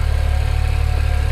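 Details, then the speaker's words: BMW N54 335i twin-turbo inline-six, first start after fitting Chinese 17T hybrid turbos and new inlets, oil still cool, water temp rising: even low idle pulse with no turbo whine or squeal, sounds normal. "Turbos aren't squealing. No, it sounds good."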